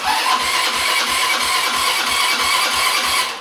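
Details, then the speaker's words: Buggy with a freshly reinstalled engine: steady starter chug at about four to five beats a second with no firing, cranking fine; the carburetor is completely empty and only gets fuel once the engine pulls vacuum, and cranking speed may be too low. "ja gut er muss natürlich erstmal Sprit kriegen ne aber der anasser tut schon mal das macht Buff Buff das schon mal gut kann sein dass die Anlasser drerehzahl nicht reicht ja muss ja auch erstmal Benzin haben ne ich meine der Vergaser ist komplett leer"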